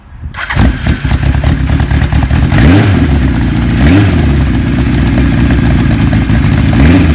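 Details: 1975 Kawasaki Z1 900 four, 23,000 miles, cold start on choke with button starter: catches within half a second, then strong even four-cylinder burble with steady revs; healthy cold start.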